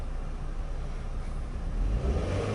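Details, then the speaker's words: Learner car, stationary while moving off on a first driving lesson: steady engine note that climbs sharply as the pedal goes down too far; the accelerator is very sensitive, too much throttle. "No, not too much, yeah, that's it. It's very sensitive."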